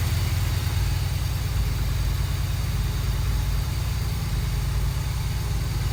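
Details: 1982 Mercedes 380SL: fast, even idle around 1500 rpm that barely drops as it warms; high idle, idle speed control module suspected.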